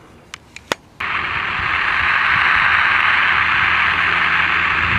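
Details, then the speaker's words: 1960s EF Johnson Messenger 223 vacuum-tube CB radio after replacing an audio-circuit capacitor, no antenna connected: switch clicks then steady even speaker hiss; normal receiver hiss. "you can hear the difference with no antenna connected just by replacing that capacitor"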